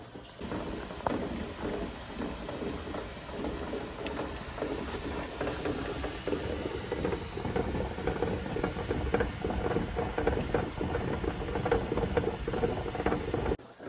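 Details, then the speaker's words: Older Presto pressure canner processing jars of chicken broth: irregular light rattling and tapping of glass jars builds steadily, a normal sign the water is starting to boil before steam appears. "once I start to hear the jars rattling around in here that tells me that the water is starting to boil"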